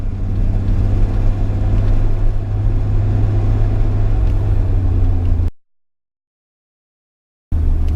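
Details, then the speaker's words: Car at steady cruise on its first long drive, hatch missing some rubber gasket; heavy, obnoxiously loud low drone filling the cabin; owner suspects air seepage through the hatch adds to the excessive exhaust noise, cause not confirmed. "I'm getting some volume and air seepage in it my hatch in the back so that could be making it a little bit louder but again it's just at cruising it's just obnoxious ly loud right now"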